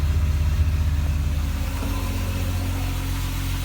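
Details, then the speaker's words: Red Mk2 VW GTI 12v with replacement motor, started after the few cranks it usually takes, blamed on mass sensor positioning: steady, even low idle settling after a small rev, no knock or tick; runs 100%, healthy. "motor runs 100% just as we expected took me to see TV garage fests on Sunday with no problems at all"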